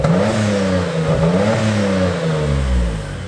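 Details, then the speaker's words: Mitsubishi GTO/3000GT VR4 warming up at about 1500 rpm just after a new sensor was fitted: fast idle whose pitch rises and sags unevenly. Owner thinks it runs slightly worse than before and may refit the old sensor; rough idle, cause unconfirmed. "um i don't know if it was any better to be honest i think it was running a little bit worse so annabelle came out and said that it doesn't sound right"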